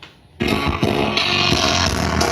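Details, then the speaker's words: Monster 210 active speaker playing music in Bluetooth mode before repair: harsh, crackly "krek-krek" sound breaking up on every beat, not clear at all. "Nah seperti itu teman-teman ya, suaranya krek-krek seperti itu ya. Nah seperti itu ya teman-teman, tidak jernih ya, sudah jelas sekali teman-teman ya."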